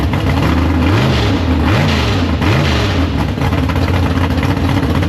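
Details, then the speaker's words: Big-block Chevy V8 in a gasser drag car, first fire-up after sitting, carburetor downjetted: deep steady idle with quick throttle blips rising and falling cleanly; normal idle. "But the thing runs. I got up to temp and everything like that."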